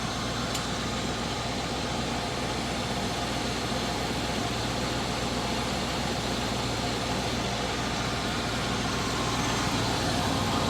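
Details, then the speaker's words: 1980 Chevrolet Scottsdale 350 V8, parked 26 years, first start on a newly hooked-up fuel system: smooth even idle with steady low rumble, no knocking or pinging, healthy engine. "But like, listen to that idle there. Like there's no knocking or nothing, eh? That's ridiculous. That sounds super nice."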